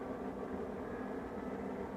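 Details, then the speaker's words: Maytag Neptune front-loader washer after circuit board repair and a new door lock wax motor: steady, smooth high-pitched whirring roar with no knocks or scraping; healthy high-speed spin, which previously never happened and left clothes soaking wet. "there she goes yeah she goes she's rockin now really high rpm yes oh yeah that is music to my ears"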